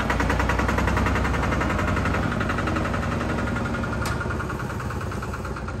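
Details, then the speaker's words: Single-cylinder Lister diesel on a Benford TS25 radial swing concrete buggy, recently repaired, fresh oil, low hours, new tires. Slow, even thump about three a second, steady beat, no knocks or misses; healthy running. "Let me show you what it sounds like. I don't know if you've watched any of the videos, but it has a very unique sound."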